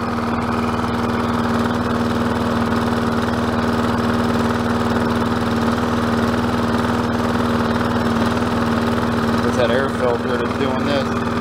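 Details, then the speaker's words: Neglected Troy-Bilt TB110 mower, 140cc 550-series engine, overfilled oil, poor air filter, missing air cleaner cover, rpm seemingly turned down: low, uneven wavering idle, fires briefly then shuts off; owner suspects carburetor needs cleaning. "they'll do it for a brief second they'll fire and then I'll shut off which means a carburetor clean"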